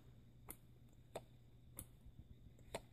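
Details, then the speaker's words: Sunbeam Mixmaster 12 mixer after repair and lubrication, whose broken off-switch contact had been fixed: four crisp clicks about every half second over a faint hum as the detent snaps in firmly. Normal switch detent click. "You hear that click? There's a detent in there, and that needs to"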